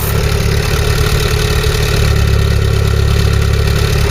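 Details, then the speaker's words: Mk3 Ford Cortina 2-door GXL automatic, revived after sitting in a field since 1983, on the original carburettor with new timing and points, fresh oil, flushed cooling and a cleaned tank: deep, steady, even exhaust burble at idle, heard at the rear. Healthy. "Now listen to this, it does sound a nice note."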